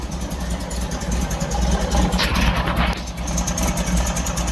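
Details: 1964 VW Beetle air-cooled flat-four after new spark plugs and fuel filter relocation, with a backfire being diagnosed: a lumpy, uneven idle after starting, the oil pressure light goes out, and the owner suspects it is missing on a cylinder.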